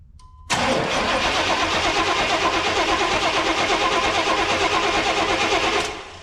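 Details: 1991 GMC Suburban with a 5.7 TBI engine, sat 10 years: starter cranks steadily about three turns a second for five seconds without catching; no fuel pump sound heard, owner suspects a fuse or relay. Crank no start.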